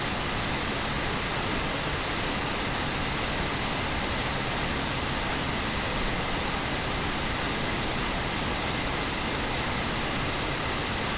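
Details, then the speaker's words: Steam Deck after replacing the rattling fan, at about 5300 rpm where it previously rattled: steady even high-speed fan rush with no rattle or ticking; cooling fan running normally. "as you can tell no rattles no weird it's just fan sounding like a fan"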